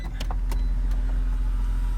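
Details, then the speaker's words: 2004 BMW Z4 E85 convertible top: its pump motor was found dry of water, but a hydraulic hinge was leaking, and the fluid was topped off. The top unlocks, then the pump drones with uneven crackles and ticks, noisy while bleeding a lot of air. "unlocks bleeding air a lot of air a lot of noise"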